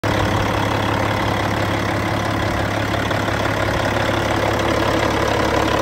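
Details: Cat C15 diesel, 900,206 km, 23,916 hours, running while checking blow-by: steady, even idle with constant low rumble and no knocks, misses or rattles; healthy.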